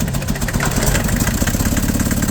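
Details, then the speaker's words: Nissan Big M with BD25 diesel, hard to start, heavy shaking and white smoke. Loud, lumpy, stumbling idle; unplugging injectors showed cylinders 2 and 3 not firing while 1 and 4 work. "สั่นเยอะเลยแหละสตาร์ทแทบไม่ติดเลยติดก็สั่นมากอย่างงี้เลยนะหนักมากอ่ะ"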